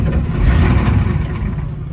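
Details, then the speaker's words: 1987 Ford F-350 diesel, sat 8 months, battery charged about an hour, ether sprayed. Uneven low chugging as it cranks and fires on a few cylinders, nearly catching; it then starts: hard-starting diesel. "Ooh, that was close. It's running."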